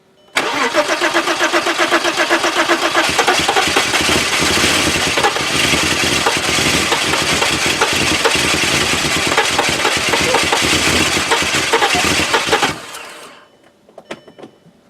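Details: 2002 VW Passat, previously no-crank no-start, after drying a wet, sweating cover with a hair dryer: brisk crank catches at once and settles into an even smooth idle about twelve seconds; normal start.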